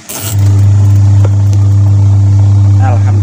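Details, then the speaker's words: Two-tub washing machine (Polytron or Panasonic), wash motor tested after complaint of motor or wiring trouble: steady, even low hum with no knocking or grinding; wash side spins normally. "bisa puter normal kita beralih kita sudah memprediksi kamling kondisi normal"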